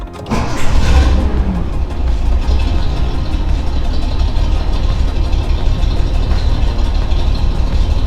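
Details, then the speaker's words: Nissan 280ZX L28E straight six after valve lash adjustment: fires quickly into a smooth, even idle with a steady low rumble and no valve tick; the earlier noise was lifters, not injectors. "sounds a lot better not bad"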